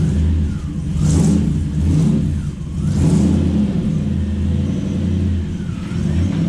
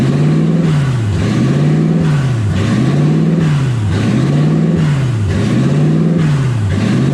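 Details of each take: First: Toyota 1UZ V8 in a Ford Falcon with newly finished glass-pack exhaust: deep even rumble swelling on each throttle blip and settling smoothly, no knocks; normal V8 exhaust. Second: 1UZ V8 swapped Ford Falcon on first drive, warm (temperature about 160, radiator warm), smoke from manifold wrap: idle surges up and dips roughly every 1.5 seconds without settling; owner unsure of cause, stuck-open idle air control valve.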